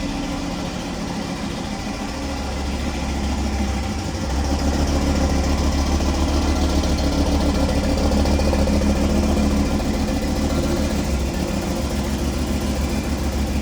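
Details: Audi RS3 2.5 TFSI five-cylinder brought in for an oil leak: shaky uneven idle, limited RPM, rhythmic misfire three to four times a second; suspected cracked piston pressurising the crankcase and blowing seals.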